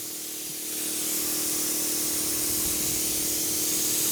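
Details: 1971 Autocar A64F truck, engine idling: steady loud hiss, cut off abruptly at the end, as the brake valve passes air to the brakes continuously unless its control line has air.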